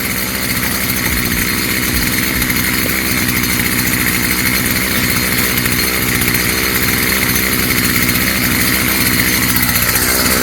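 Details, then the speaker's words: Stihl FS55 trimmer two-stroke after a new Hipa carb kit install, running on choke with the air cleaner off after hard pulling to start: high buzzy note holding a fast, fairly steady idle without dying or surging; normal running. "I'm on choke it. See how it runs without the air cleaner. Not bad. Sounds good. Idling at a decent idle or RPM."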